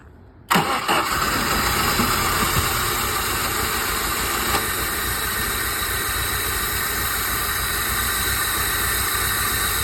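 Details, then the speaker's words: 1994 Jeep Wrangler YJ sat about 10 years, after oiling cylinders to restore compression; previously tapped hard, now catches in half a second into a smooth, even idle with no tapping; fuel pump still to be replaced: normal idle. "actually sound pretty good now yesterday it was tapping hard good think we just down to a fuel pump now"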